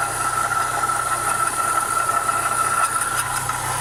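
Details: Renault Clio 172 at idle: even idle with a thin, constant-pitch scraping metallic grinding near the timing belt area, also present when running; something rubbing at the engine front, cause suspected, not confirmed.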